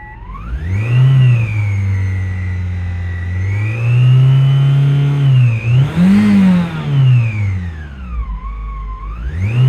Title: 2016 Toyota Camry weird engine noise